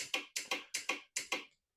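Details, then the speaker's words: 1997 Suzuki Quadrunner 250 ATV: pressing the starter button gives four sharp double solenoid clicks in two seconds with no cranking; starter suspected, later found burnt inside with brushes possibly worn away. "So, when you press the starter button, it just clicks. I'm assuming it's the starter because I can hear the solenoid clicking obviously,"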